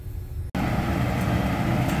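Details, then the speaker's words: Main exhaust fan motor that the customer reported had stopped, now repaired and over-current set, running in the right direction at about three amps; even, steady low rumble with no knocking, squealing or rubbing, normal running. "all right we are running um everything is good it's the right direction running at about three amps of current all is well"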